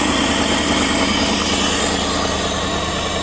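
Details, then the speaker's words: Lexus LS400 abandoned 10 years, after starting fluid and stalling attempts: engine catches after cranking and settles into a steady, even idle; owner suspects stale fuel and clogged injectors. "He sits in the car, fires it right up."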